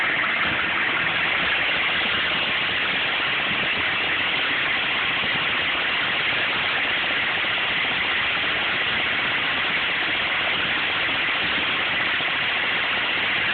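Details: 1995 GMC K3500 6.5 turbo diesel, 78,000 miles: hissy, uneven rough idle. It misses under full load at driving speed, stalls when the throttle is released and is intermittently hard to start. Codes stored; owner suspects the PMD or injection pump, unconfirmed.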